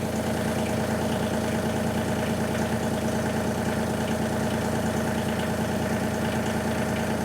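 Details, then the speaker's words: Kubota LX3310 diesel tractor, cold start after glow-plug preheat, started without throttle: even diesel clatter at a steady idle, smooth with no misses or knocks; clean start. "okay i didn't have it to have throttle clearly but it started right up too"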